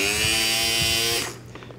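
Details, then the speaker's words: Federal Signal Aerodynic light bar motor after cleaning and repair of dirt and grime buildup that had made it very noisy: small motor spins with a steady, even whir, no rasping or grinding, then winds down; runs smooth. "of that noises from being on this case let me hold it and in three a little motor running definitely sounds better than you"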